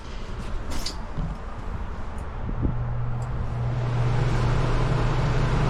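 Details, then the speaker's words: Coleman Mach 15 RV rooftop AC unit, newly replaced, switched to cool low: quiet hum, then a steady low fan drone swells up about 2.5 s in and holds evenly; fan starting normally. "Fan just kicked on. Usually you'll hear the compressor kick on. Not always."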